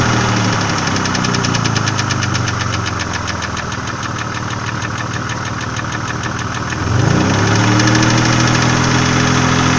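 Steady idle with a crisp, fast ticking about four per second from the top end; the tick persists when revs rise: noisy hydraulic lifters.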